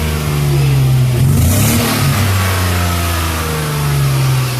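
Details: BMW E34 with M50B20 engine: revving rises and falls but the note stutters and wavers unevenly, with drops in acceleration; owner suspects misfire from running lean, possibly a vacuum pipe leak or faulty MAF sensor.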